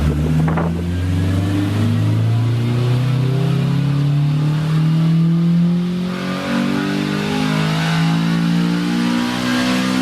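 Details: 2000 Honda Civic Si (EM1), on a dyno at 84°F doing a third-gear full-throttle baseline run; the note climbs smoothly with no misses or knocks, VTEC engaging, about 139 hp and 101 lb-ft.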